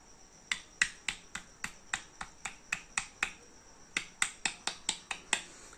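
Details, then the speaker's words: Old Hero Honda Splendor four-stroke single, engine opened and not running, connecting rod rocked by hand: sharp metallic clicks three or four a second; excessive connecting rod big-end play on the crankshaft. "பாருங்க எவ்வளவு play இருக்கு பாருங்க இது இந்த மாதிரி ஒரு play இருக்கக்கூடாது இந்த மெயின் இந்த சவுண்ட் கனெக்டிங் ராட் செக் பண்றதே இதுதாங்க பிரண்ட்ஸ்"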